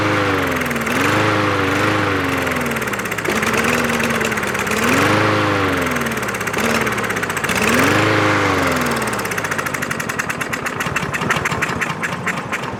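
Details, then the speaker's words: About one-year-old 2023 Craftsman M110 140cc mower that died while cutting. Seafoam is in the fuel and two-stroke mix is squirted into the carb intake. It catches, surges unevenly, then sputters and fades out: fuel starvation, suspected clogged carburetor jet. "so by it running and dying means that the system is priming but not enough fuel is getting into it so something must have clogged up the carber"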